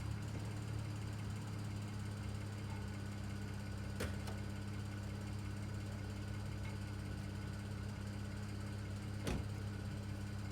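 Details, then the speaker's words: 2009 BMW 335i N54 on a cold start after an upper radiator hose replacement: the idle stumbles irregularly. The misfire is said to be unrelated to the hose job. "well guys in typical in 54 fashion it's now misfiring completely unrelated issue"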